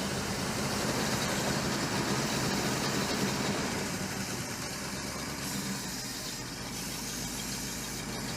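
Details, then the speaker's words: 1969 Chevy Suburban with a junkyard big-block V8, run briefly before a compression test: even idle loping about four beats a second, no misses or ticking over some hiss; runs fine, though a starter fault is suspected. "So far so good. I'm going to say it's good. Yeah, I think it's all right."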